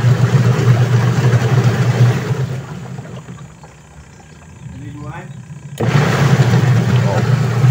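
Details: Sharp Gigawash Jr washing machine after gearcase replacement for noisy spin, tested with water: steady low smooth hum from spin tub, no knocking or grinding, gear case quiet; only a leaking hose noted. Normal spin cycle.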